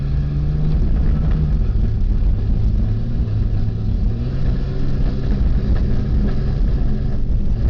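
Steady low engine rumble with an uneven, stumbling beat under it, consistent with a cylinder misfiring; cause not evident. Cause suspected, not confirmed.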